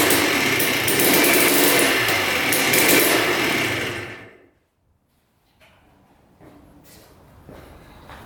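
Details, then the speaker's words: 2003 Yamaha Blaster 200cc two-stroke quad, reassembled from pieces, once warmed up: the high buzz runs raggedly with uneven surges, then drops away and dies. Owner suspects broken flywheel magnets causing weak, inconsistent spark; not confirmed. "you can hear it kind of breaking up now I think it's that flywheel magnets causing issues it seems like it's like inconsistent spark once it gets warmed up"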